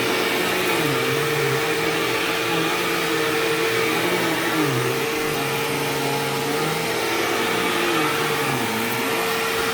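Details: Sharp Twin Energy vacuum cleaner vacuuming a living room: a steady high-pitched squeal holds its pitch over the motor's roar. The squeal faded after running a while and partly returned at shut-off; cause unknown.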